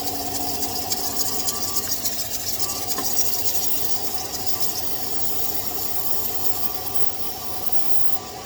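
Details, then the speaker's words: After spraying belt conditioner on a truck's previously heavily squeaking drive belts, the engine idles steadily with a light hiss and no chirp or squeal; the belts now run quiet and the squeak is gone. "just finished praying now notice the difference in the sound of the vehicle um was Heavy squeaking I think I might have um"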